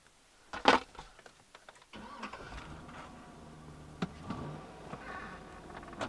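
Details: GM truck (Chevy Silverado/GMC Sierra type) after repairing a faulty engine ground wire and clearing the reduced engine power fault codes: quick crank, engine catches cleanly and settles to a smooth, quiet idle.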